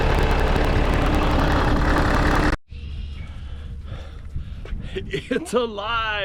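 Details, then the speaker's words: Case 188D diesel tractor after restoration and injection pump removal and refit: clatters along at a steady, even beat for a couple of seconds before cutting out. Healthy running, with good oil pressure and water temperature after a four-mile trip. "it's alive it runs it runs it runs good everything sounds good everything's working good"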